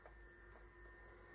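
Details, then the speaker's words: Early-1980s Hitachi CPT-0652 colour TV/radio/cassette boombox with volume turned up: faint steady electrical hum under quiet hiss from the speaker; owner will check grounds and suspects the function switch or other switches need cleaning. "hear there's not a lot of background noise there is a little bit um so we'll check some of the grounds and everything see if we can reduce that down a bit"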